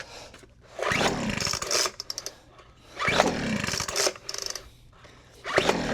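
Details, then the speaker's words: Weed Eater FB25 25cc two-stroke blower, non-runner, primed with fuel, choked and throttle open: buzzy engine catches after each pull, runs barely a second, then dies; starts briefly then stalls, needing maintenance. "Well, that went too terrible. Let's see if it fires back up. It might need to need some uh maintenance and clean up."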